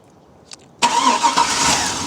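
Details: 2003 Chevy Tahoe Z71, no-crank no-start after sitting about a year, starter relay terminals 30 and 87 jumped with a paper clip: click, then quick steady crank that catches and runs; starter is good.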